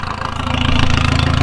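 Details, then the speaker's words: Diesel TDI idling loud and lumpy with a quick, sharp ticking riding over the pulses. It sounds like a big exhaust leak where there is no gasket fitted. "okay hi it sounds like a big exhaust leak you don't have a gasket down there so I definitely get that you can hear the tickety-tack backpack and I hate exhaust leaks"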